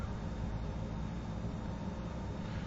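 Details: Shop waste-oil furnace with compressed-air spray nozzle, restarted after soot was burned and blown out of the stack: steady, even low roar from the burner with no pulsing or puffing, firing normally.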